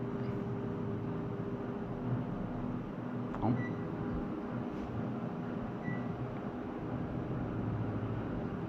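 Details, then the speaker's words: Panasonic air conditioner compressor that was loud with intermittent clunks and wouldn't start, now after adding compressor oil and refrigerant: a steady, even low hum with constant tone and no rattles or knocks. Normal running. "ตอนนี้แอร์Panasonicกลับมาทำงานปกติก่อนหน้านี้เปิดไม่ได้ครับ"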